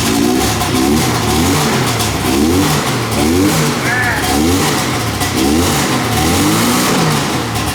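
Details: Hovercraft two-stroke engine, started on the trailer with chokes on after sitting: revs up and down in regular surges roughly every 0.7 s, pulling cleanly with no misfire; running fine.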